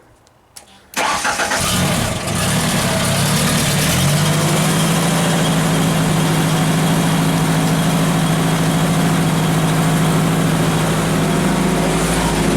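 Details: Genie with a crank no-start, after keep-alive/computer power was restored on the red-green wire and the fuel pump relay was powered: a couple of clicks, then the engine fires within a second and settles into a steady, even idle.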